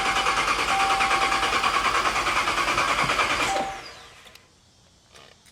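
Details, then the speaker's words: Supercharged Dodge Charger Pursuit, first start after build: starter spins engine fast and evenly, never fires; fuel confirmed at tailpipe, so missing spark suspected. Crank, no start. "It's turning over fast like it's not getting fuel."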